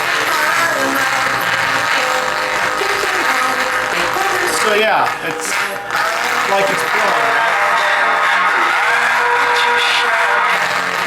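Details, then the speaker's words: Car midrange speaker playing music harsh and fuzzy across the range, like a blown driver. The cone has come disconnected from its mounting and can be fixed with glue. "Now most people will determine that as a blown speaker. A shop definitely will. And how we get around this is by making sure it's actually blown and not disconnected. So unlike this one, it's disconnected. So of course, it's going to give us bad sound quality."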